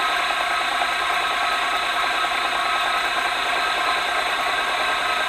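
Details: ZJ4110 Chinese 8-inch drill press, reassembled after cleanup: a steady mid-pitched whir with a light even rattle and no grinding or rising squeal; the center rod had been banging before; it now runs normally.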